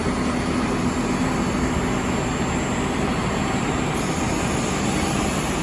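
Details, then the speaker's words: DM1100Z wide belt sander removing lacquer from 0.025" thin material, wide belt speed raised, conveyor running: loud, steady, even grinding roar with no surging or chatter; the belt cuts solidly and runs properly. "can hear it grind, solid. It's on solidly."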